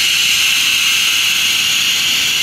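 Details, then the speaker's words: Loud steady hiss of residual oxygen bleeding out of the torch line after the main oxygen tank is shut and the torch oxygen knob is opened; normal line bleed-off. "happening is all the excess gaps in the line is now coming out we were bleeding the gas out of the line"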